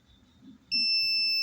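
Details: Transistor removed from a Polytron U Slim TV that was dead with a squealing noise, tested out of circuit with a meter: after a brief quiet, a steady high continuity beep holds without a break; dead short, shorted transistor.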